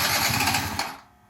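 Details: Yamaha Zuma scooter that won't start: a brief run of quick, even cranking pulses that dies away without catching; it cranks but will not start.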